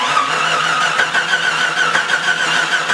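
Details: Jeep Cherokee, reportedly stalled after driving through a puddle: starter cranks with uneven churning rhythm but never catches; camshaft position sensor signal read a constant 8.8 V instead of switching, failed sensor diagnosed and replaced.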